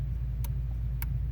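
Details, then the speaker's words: 2005 Honda Accord LX with used replacement engine, no-spark fault; two sharp clicks over a low engine hum as a loose connection at the PCM/power relay makes and breaks contact; loose relay connection found as cause. "you can hear the connections loose so it was a lot of work but let's figure it out"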